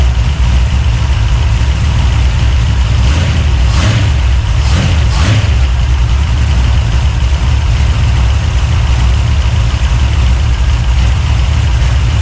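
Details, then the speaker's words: 383 stroker small-block V8, freshly built and swapped into a 1970 Monte Carlo, at first fire-up in the car: deep, loud idle with an uneven, choppy lope, steady and clean; a big cam idling as it should. "Got it bad. Love that chop."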